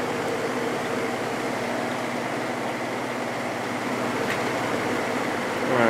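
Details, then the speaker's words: Vintage GE 3-speed reversible window fan (F11W3) after gluing its loose rotor and letting it cure over 24 hours, on high then medium: a smooth, steady whir with no rattle; it runs quietly. "medium see how it does on that speed this thing is so quiet that is awesome"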